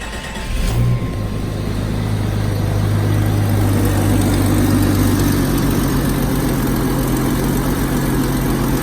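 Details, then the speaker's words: Scrapyard-rescue Jeep Wagoneer straight-six, first start after temporary ignition wire/resistor repair, low fuel from 5-gallon jug: starts and settles to steady, even low rumble, no misses or knocks; typical small exhaust leak noted, otherwise sounds good; normal idle. "Oh, and she sounds good. It's got that typical little exhaust leak down there, like all the good old straight sixes have. But other than that, she sounds good."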